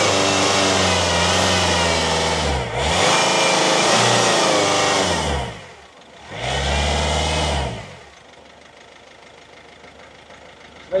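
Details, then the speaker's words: Citroën Berlingo diesel after fuel priming: fires, revs up twice, settles to steady idle with no injector chuffing, sounds much better; a weird idle remains, to be diagnosed via codes. "so it starts and it runs it sounds loads better look so that sounds good straight off the bat"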